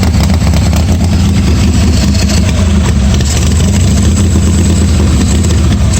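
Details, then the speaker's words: 1986 Harley-Davidson Softail V-twin at its first start after a starter and wiring repair, no air cleaner and no choke, oil pressure unchecked; loose, loping idle with a steady low thump, no knocks or misses; charging despite bad wires; normal idle. "it's probably some of this junk right here but it did start and run and even with the bad wires it's charging so at that point it's uh kind of worth working on don't really sound too bad"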